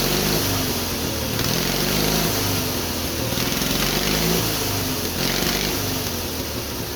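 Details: Twin-cylinder Briggs & Stratton engine on a mini bike, first start after a quick carburetor rebuild, homemade black steel pipe exhaust, hard lazy crank; steady putter at idle, quick throttle blips rise and settle cleanly; runs evenly and healthy.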